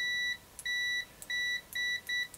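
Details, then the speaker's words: AstroAI TRMS multimeter (M2KOR/M4KOR) continuity test: six quick clean high beeps in under three seconds, each starting instantly on probe touch; both meters respond fast. "so yeah they're both pretty fast you know i think this is ridiculous when people do this when you continuity test it's a purposeful test"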